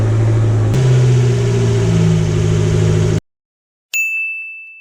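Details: Fiat 500 Abarth after mods, with a diverter valve upgrade and a destroyed vacuum cap found; spark plug tubes leak, needing a valve cover gasket: revs in steady steps, pulling cleanly with no knocks or hiss, then shuts off with a chime; sounds healthy.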